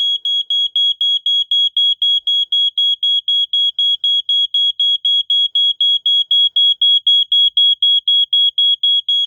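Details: 1987 Wake and Warn 2 smoke detector set off with test spray: loud, shrill, perfectly even beeps about four a second that stay on for a while. This is the better-preserved of two units, and it sounds normally.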